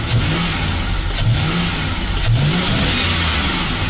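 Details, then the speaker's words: ZIL truck V8 revving in quick blips, rising and falling cleanly and crisply with no stumble or misfire; owner says the engine problem seems gone and it feels far more powerful, though the alternator is not charging. "это уже совсем другая мощь это Прям вообще огонь"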